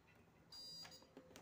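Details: SWS UPS (no-break) switched on after replacing its old batteries: single steady high beep of about a third of a second, a normal startup; before repair it alarmed and blinked its LED.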